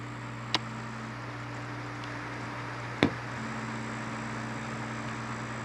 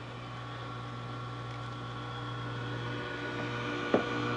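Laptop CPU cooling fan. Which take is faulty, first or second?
second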